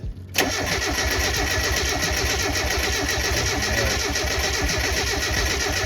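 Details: Turbo Miata on a standalone MegaSquirt ECU, first start after a months-long rebuild with fresh oil; the fuel injector relay is pulled to prime oil and confirm oil at the turbo feed. Steady, even cranking for several seconds that never catches, as expected with fuel cut.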